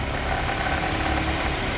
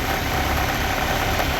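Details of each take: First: W202 Mercedes AMG, 4-cylinder, about 300,000 on it: steady, even idle, still slightly splattery, with the tapping gone while the suspect part is pressed; the noise comes from that part, not the timing guide or hydraulic tensioner. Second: W202 Mercedes AMG, 4-cylinder, about 300,000 on the clock, at idle: light quick chatter over the engine note, a top-end rattle some mistake for timing; owner points to a small part found as the noise source.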